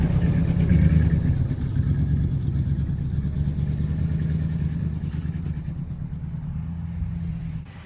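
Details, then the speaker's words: 1961 DeSoto revived after decades sitting, driving on about 3/4 gallon of fuel: low even rumble as the car pulls away and cruises, no knocks or misses; normal running, sounds decent. "But it's running. It's driving. It sounds decent."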